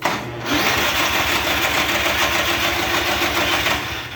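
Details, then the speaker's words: Murray riding mower with a Briggs & Stratton engine, starter terminals just rewired correctly: fast steady cranking at about three and a half pulses a second, never catching; it cranks but won't start. "that's all it does basically so we got that issue figure out now we got to figure out why it's not starting"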